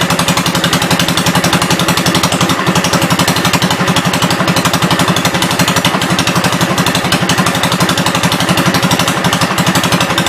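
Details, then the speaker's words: 1972 Gravely 430 tractor after cylinder head reinstalled, run in hot weather: even single-cylinder thump around four beats a second, no knocks or drive grinding, high-low axle works, moves forward and back; normal running. "Sounds good. No big noises or anything. It'll move forwards and backwards."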